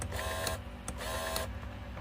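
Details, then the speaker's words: 1998 Mercedes W210 E320 V6 electric tilt steering: short bursts of small motor whirring spinning freely, gear turning but column not tilting; telescopic works, common gear fault. Tilt steering motor runs but column does not move. "this is for the tilt steering you can hear the noise and you can see the gear is turning but it doesn't do anything okay the the steering doesn't tilt"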